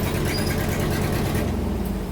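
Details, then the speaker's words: 1976 Ford F-600 dump truck petrol V8 with a new Holley carburetor, choke opening as it warms: deep, mostly steady burble with a slight intermittent miss, suspected from the points and condenser ignition. "From back here, we're getting a little bit intermediate miss, I think. That might be just the whole points and condenser setup."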